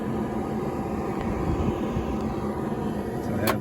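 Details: 1966 Dodge Dart GT, Slant Six 225, defroster fan after new defroster hoses and a repaired ground wire: steady, even rush of air with a soft hum, no rattle or squeal; normal blower operation.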